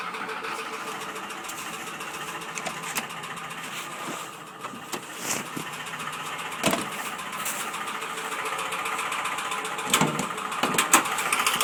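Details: Ford Sierra 2.0 OHC carburetted engine running: sharp, uneven knocks roughly three to four a second; engine knock, source not identified.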